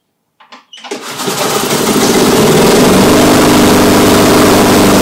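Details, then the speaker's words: Exmark Commercial 21-inch walk-behind mower, first start after spark, throttle cable and carb cleaning work: a few cranking pulls, then it catches to a slightly wavering buzz. It sounds fuel-starved, believed not a governor issue. "well if you could hear it was just getting starved for fuel i don't think that it was a governor issue or anything"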